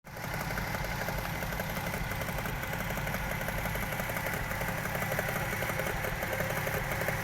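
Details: Toyota 1JZ-GE engine at idle, revs wavering and dipping, after new spark plugs and gearbox oil change: faint, uneven tapping about three knocks a second over the engine; knock at idle, camshaft bolt torque suggested, cause unknown.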